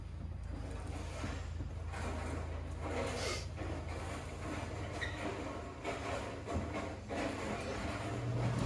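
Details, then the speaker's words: RV air conditioner switched to cool mode with the temperature set down; the compressor kicks on with a low steady hum and soft airy rush, no knocking or rattles, running normally. "we can hear the air conditioners kicked on everything's running great"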